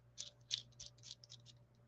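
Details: SCX24 mini monster truck with a new Furitek Rocketman transmission and Godzilla motor on a 15-tooth pinion. Faint, sharp metallic ticks, about eight in two seconds, as the gears are turned; normal mesh of new metal gears.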